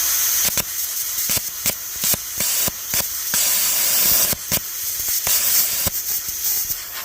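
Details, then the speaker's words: AUTOGEN 55A (CUT50/55-type) plasma cutter at about 20 A, ground clamp on paint with the workpiece floating: air hiss broken by irregular sputtering arc bursts that never hold. Hard starting from a poor ground. "I'm going to lift this piece up so it's floating over the top of the table so you can see that this clamp is blatantly just on paint. And we're going to see if this will actually start."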